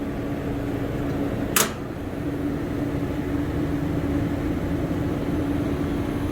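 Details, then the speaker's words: Beer walk-in cooler scroll compressor, pumped down with king valve: steady running hum with fixed mid tone and one sharp click, earlier a funky sound; pulls to about 20 psi then pressure rises when off, internal leak inside scroll compressor. "it's happening inside the scroll oh man this sucks i told you earlier i was making a funky sound when it was running so it pulls down it's like 20 psi but then i shut it off and it just rises it's leaking internally in the compressor"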